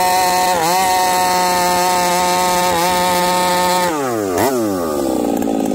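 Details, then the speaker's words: Chainsaw with new bar and freshly spun loop of chain, cutting after carb adjustment: screams at full throttle then wavers, stutters and burbles, breaking up at high rpm; high jet 3/4 to 5/8 turn, still sounds rich; owner suspects ignition coil. "the sauce breaking up still I guess we'll go back to the bench with this one maybe it is time for a coil uh hijet is that three quarters to 5 8 and it still sounds Rich at 5H and still sounds like it's breaking up"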